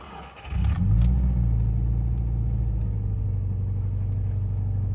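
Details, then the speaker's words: 2005 Subaru Impreza R Sport, EJ204 non-turbo, worst on initial startup: engine catches into a fast, lumpy idle with a low puffing tick on the exhaust pulses from a leaking exhaust manifold gasket. "At the moment it's having a bit of a problem, especially on initial startup. One of the manifold gaskets is leaking."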